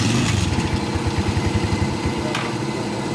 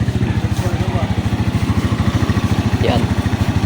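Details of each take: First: Rusi 125/150/175 motorcycle after stator/new regulator check, running without its fuse: small single thumps at a slow, slightly uneven, low idle needing a tune-up, but starts and keeps running; normal idle. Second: Rusi 125/150/175 motorcycle, kick-started, with a drained battery and a suspected lack of supply from the regulator's red wire. A steady single-cylinder idle thumps two to three times a second before the engine dies when the fuse is pulled. Normal running before the stall.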